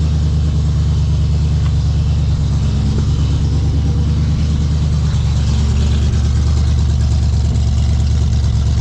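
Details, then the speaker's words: 1970.5 Ford Falcon (Torino) V8 barn find with newly installed cheap glass-pack mufflers; steady deep raspy idle at 35–40 psi oil pressure, faint rattle from a loose headlight; runs smoothly. "I like it. Sounds good. Happy. It's idling for about 40 pounds."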